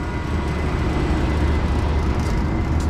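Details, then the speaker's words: Old Trane unit's makeup air blower motor, seized, gives a steady low drone and strained electrical hum with no spin-up as it tries to run; the blower seized up. "nothing's what is that noise that's the makeup air trying to work she seized up"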